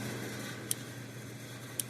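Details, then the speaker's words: Blitzer Zareba 8901 25-mile electric fence charger, plugged in: crisp single snaps about every second, evenly spaced, over a quiet background hum, indicator light clicking; pulsing normally. "Well, I'm going to plug it in, maybe out of frame, but you ought to be able to hear it pulsing."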